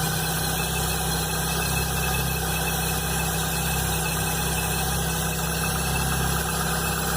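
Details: Chevrolet Blazer, cold idle the morning after its timing belt and alternator belt were replaced: thin, squeal-like whine over the low engine rumble; abnormal engine noise at cold idle.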